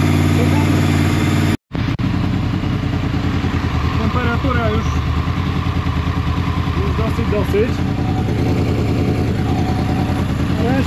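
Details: Honda VFR800 VTEC V4 after timing and valve work, warmed up before throttle body synchronization: steady low idle pulsing about three times a second, slightly uneven but settling; throttle bodies badly out of sync and still need synchronizing.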